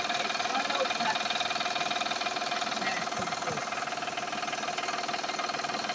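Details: Van idling, oil changed last month, noise also heard accelerating: steady even tapping about four a second, more clatter than knock, sounding like engine.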